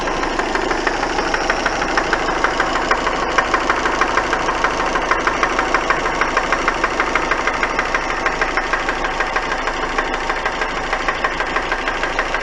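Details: Engine at smooth idle with a sharp, steady knock about twice a second standing out from the hum; engine knock.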